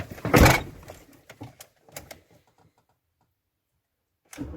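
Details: Ford Transit 115 350T RWD van that won't start: one loud burst, then sharp dry clicks from the starter with no cranking, while a booster pack is connected; owner suspects a battery or parasitic drain issue, not confirmed.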